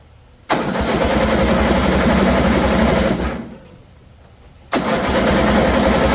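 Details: 2007 John Deere Z225 zero-turn mower, after a fouled spark plug was replaced with a new Champion and still rubbing: two long cranking spells, about four strokes a second, that never catch. Flooded; owner reports oil spitting, so valve issues or a blown head gasket are suspected.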